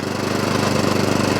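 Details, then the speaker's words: Atco Balmoral 20SK cylinder mower with Kawasaki engine, cutting cylinder engaged for test: steady even reel whirr over smooth small-engine chug, no knocks, rubbing or weird noises; cylinder turns normally. "So we test the cylinder first, and I want the cylinder to turn when I ask it to, and to stop when I turn it off. So that's on."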